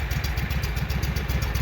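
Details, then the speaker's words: Walker mower that had been backfiring through the carburetor, restarted after freeing a stuck part and spraying PB Blaster; at lower idle it doesn't sound too bad: low, steady, even firing with no popping or stumbling, normal idle. "at the lower idle that doesn't sound too bad the other one was full full idle"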